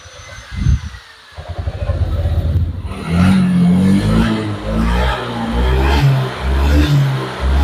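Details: Honda Vario 125 (old model) after repair of severe hesitation (brebet): fuel pump pressure and injector checked normal, ECU reset done; the single-cylinder scooter now revs up in clean repeated blips and drops back without stumble or popping, throttle response restored.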